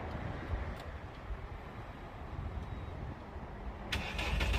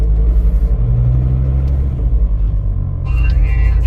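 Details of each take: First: Turbo VW Rabbit 2.5L with a C2 turbo kit and a 2.5-inch catless downpipe, no resonator, muffler deleted: cold start fires into a loud, raspy, rapid drone that is brutally loud at first. Straight-pipe exhaust leaking at the flex joint. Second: Turbo VW Rabbit 2.5L after a new 3-inch stainless catless downpipe with a Vibrant bottle-type resonator: a deep, steady, still pretty loud idle rumble with an even beat and no leak rasp. Normal exhaust note.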